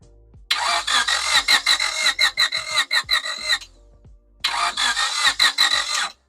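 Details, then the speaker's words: 1998 Honda Civic that sat for a year: two bursts of fast, uneven cranking that never fire. No spark was found at the plug; the igniter or cables are suspected, not confirmed. "okay so the car has no spark now we have to check if the ignition is turning not the ignition if the igniter is sparking or maybe it's the cables"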